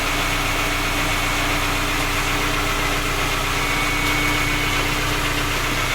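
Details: Skoda Octavia A5 facelift 1.6 MPI on cold start at idle: light, fairly regular knock over the engine note; three engine repairs, fault not found, engine still knocks.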